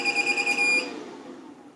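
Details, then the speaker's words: LaCie Biggest FW800 drive enclosure with a Seagate 250 GB drive: it briefly showed "booting up Biggest FireWire 800", then stopped; one shrill high beep under a second, then fading; alarm after failed startup, cause unknown. "so it looks like there for a couple of seconds it was actually booting up i'm not sure if you could see it said something like boosting up biggest firewire 800 so it looks like it was working but then it stopped working after a couple of seconds and now if i turn it on again it probably yeah broken again completely so"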